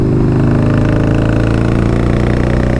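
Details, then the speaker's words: V-twin low-slung motorcycle being ridden, which the rider says feels strong. A deep, even beat firing cleanly on both cylinders with no misses or knocks; the engine is healthy. "But this is a bike, man, it just has soul to it, you know? And it sounds great."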